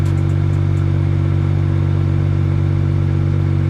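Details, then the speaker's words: BMW 335i N54, single turbo, manual, with X Clutch organic twin-disc clutch: loud low rattling flywheel chatter at idle with rpm raised to 900; worse with the AC running. "i'm not too sure if you can hear it on idle uh the flywheel chatter is pretty bad have the rpms turned up to 900."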